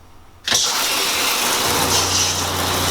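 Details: RV shower after replacing the original head with a new shower head, RV in storage with no hookups so onboard pump running: strong steady spray hiss, then low even pump hum; much more pressure, normal flow.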